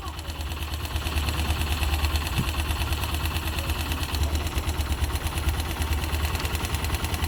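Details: YB motorcycle at steady idle with a light, fast, uneven ticking over the engine beat, about three per second; abnormal engine noise, source unclear.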